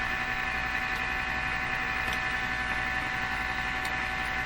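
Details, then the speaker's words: Nordmende Turandot tube radio on the shortwave 49 m band: steady low mains hum with no hiss, static or stations where noise and interference should be heard; shortwave reception dead, cause unknown. "wow that's that doesn't sound right it should be doing stuff should be picking up noise and interference"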